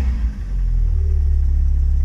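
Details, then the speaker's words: Stratus engine running after new belt, properly tensioned, and new spark plugs: smooth, even deep note with steady pulse, belt squeal now gone; healthy engine. "con este lindo sonido de solamente el motor nos despedimos de este vídeo"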